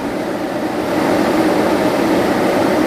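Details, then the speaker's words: Aftermarket PWM cooling fan with performance shroud on a Silverado, commanded to 93–95% duty cycle (maximum; 96 turns it off): loud, steady rush of air with even whir, no rubbing or rattle; normal full-speed fan. "I found that 95 is maxed out on this thing. 96 turns it off, but 93 to 95 didn't even give me any change. You can already hear how much louder."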